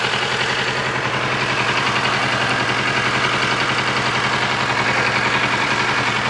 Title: strange engine noise